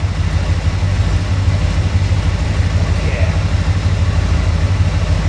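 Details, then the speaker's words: Engine from Creampuff running on a test stand with exhaust fitted, fuel system hooked up and water pump belt on: a deep, even idle rumble with a steady low beat and no knocks or misses. "So it'll be a little quieter, even though it sounded pretty cool without the exhaust. I love open headers, but flip our switch, main, ignition. Fire right up."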